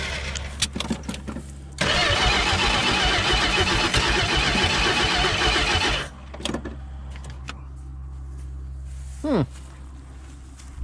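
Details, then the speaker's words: 1964 Plymouth Valiant convertible slant six, abandoned for years in bush, first start: cranks, catches, roars unevenly then rough stumbling idle, faltering on fuel; owner suspects bad accelerator pump or carburetor, possibly combination; odometer 54,000 (maybe 254,000) miles. "i'm thinking this the accelerator pump could be shot or who knows it could be a combination"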